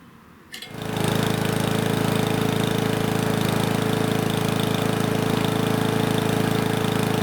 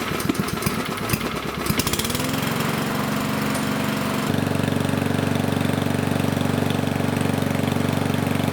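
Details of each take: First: Powermore mower engine after the governor spring tab was lifted in small steps: a steady high-pitched drone with no surging, now just over 3200 rpm on a tachometer, within the ideal 3200–3600. Normal governed speed. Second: Powermore mower engine, started after the governor spring tab was lifted slightly: a steady drone that is a touch slow, still only 2800 rpm, below the ideal 3200–3600. Governed speed set too low; the tab will be lifted further.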